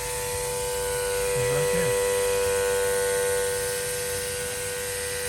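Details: 2009 Saab 9-3 Aero XWD engine bay: loud steady siren-like whine over the running engine from a leaking vacuum pump line feeding the brake booster; planned fix is trimming the line and refitting it.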